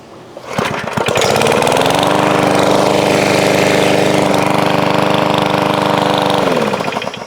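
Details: Lawn mower (possibly Briggs and Stratton) after diagnosis and repair, warm from mowing on a hot day, starts on the first pull and settles into an even, steady drone with no misses, then winds down smoothly; normal start and idle.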